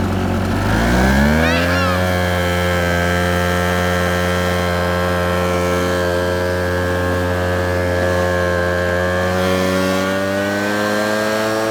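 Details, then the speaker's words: 2014 RedMax 76cc blower, probably an 8500: revs up and settles into a strong, steady high-pitched run with no stumbling; squeaky starter, runs normally. "You'll hear it's pretty squeaky, but it runs good."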